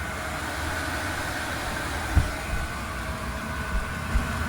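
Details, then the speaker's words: Diesel heater that would not ignite, after water ingress was found and it was cleaned, regasketed and reassembled: ramping up once hot, even low roar of burner and fan, pump ticking, cleaning-chemical smoke burning off, running smoothly. "all that stuff will burn off pump is kicking away you can hear it air is blowing smoke is already dissipating it is doing great"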